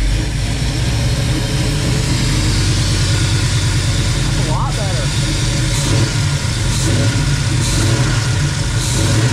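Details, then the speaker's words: Rat rod tow truck V8 just reassembled with distributor and fuel line refitted, valve cover off, checking the top end is quiet: deep, steady idle with even beat and no ticking or clatter; valvetrain sounds healthy. "sounds pretty quiet yeah now I've got oil all over everything I gotta clean it so it'll seal but it sounds good"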